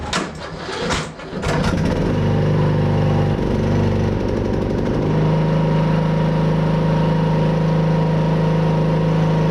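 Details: Craftsman T110 riding mower after tune-up and new deck spindle replacing a noisy bearing, blades engaged: engine settles into a steady, even drone with a smooth deck whirr; running clean.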